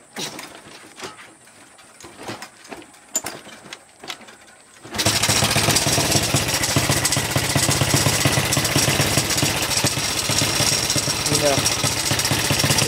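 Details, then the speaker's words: Honda Supra Fit motorcycle bought wrecked and smoking heavily, with a worn timing chain and piston suspected: after starting, the idle chugs unevenly at about four beats a second, stumbling rather than settling, a rough stuttering idle. "gak langsam guys jadi dia tuh kayak gimana ya ya teman-teman Dengarkan aja bunyinya jadi dia gak langsap dia kayak ada nyat-nyedat"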